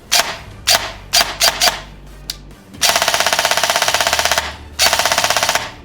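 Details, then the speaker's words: Cheaper airsoft AEG with a micro-switch MOSFET, wired to Tamiya, compared against the Novritsch SSR4: crisp single shots, then rapid even bursts near twenty cycles a second with a clean snappy rhythm, the gearbox cycling properly. "But for a $150 gun, that actually sounds really nice."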